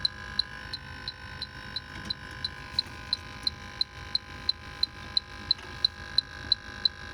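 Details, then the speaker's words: True refrigeration unit with an iced-up coil and condensate leak. An electronic leak detector's beeps speed up to about three a second at the back side of the evaporator coil, locating a refrigerant leak there. "speeding up there it is right there can you hear it speeding up there it is i knew it that is a leak and then you'll hear it slow down i got a leaky evaporator coil"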